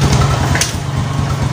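Catches straight away and settles into an even, fast putter with no misfires or hesitation; a healthy start and idle.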